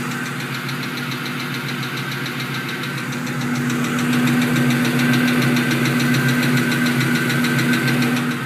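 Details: 2001 Mustang GT V8 at warm idle with a sharp, steady tick about three to four a second, heard only when warm; owner suspects the driver-side head, loud underneath near the manifold.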